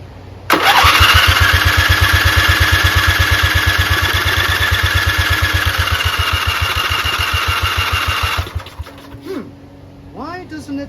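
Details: 11HP Briggs & Stratton flathead swapped into a hauler. After a magneto wire grounding through the throttle bracket was disconnected, the starter chugs steadily, about three beats a second for eight seconds, on a jumper pack but never fires; cranks but won't start.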